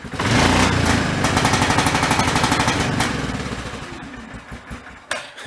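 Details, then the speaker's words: 2003 Yamaha Kodiak ATV, single cylinder, revved after earlier carb cleaning and a fuel fix: stutters and breaks up in choppy bursts above a certain rpm. Owner doubts fuel starvation and suspects spark cutting out or limp-mode-like behavior. "that's what it does it's not I don't believe it is starving for fuel the first time around it had a dirty carb and fuel was bad and everything but it did run good for about 10 minutes"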